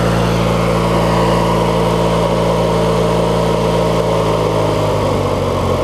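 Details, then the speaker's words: Craftsman mower with a 20-plus-year-old 19.5 hp Briggs opposed twin, after setting the governor, adjusting idle speed and blowing out the carb: a steady, even low drone with no surging, a good idle; full throttle still runs lean. "that's about what you want to hear it at idle right there"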